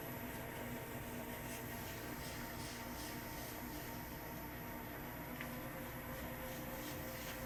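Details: KYS Pro Baker 7+ spiral mixer at its maximum listed batch, 4.8 kg pumpkin dough, bowl at 60°F, 200 RPM: steady even drone, no labouring or speed sag, flour swishing at dry spots; coping fine under full load.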